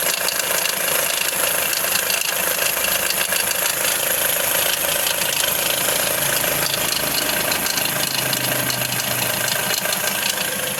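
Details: Hyundai Accent sedan CRDi diesel (RB, 2010–2016) at idle: light fast metallic rattle, suspected loose timing chain, a common problem on this engine.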